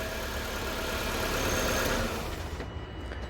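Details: Nissan engine starts and settles into an even, steady idle with no misses or knocks after the relay was swapped; running normally, no fault codes.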